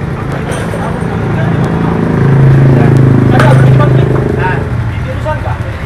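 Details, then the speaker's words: Yamaha MX King 150cc after engine teardown repair for rough engine noise, radiator refilled: smooth, even idle with a steady low putter, no knocks, ticks or rattles; the rough noise is gone. "Jadi bisa kalian nilai sendiri untuk suara mesin dan disini sudah halus tidak ada bermasalah lagi"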